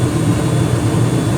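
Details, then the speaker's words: 2021 Carrier gas furnace running after cleanup and filter change: smooth, steady low rumble of burner and fan with no rattles, pulsing or booming; no evidence of a cracked heat exchanger, normal. "Looks good so far. And we have fan. I don't see any evidence of a cracked heat exchanger."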